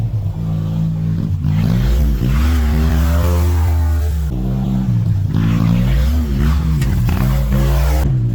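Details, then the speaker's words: 650cc Joyner side-by-side engine after a head gasket replacement and a 55 A Toyota alternator upgrade: catches quickly and revs up and down smoothly with an even, steady firing beat and no knocks. Running normally. "so now that's all together let's fire it up see if it's charging I did use starting FL when I started the first time so started really nice quick all right"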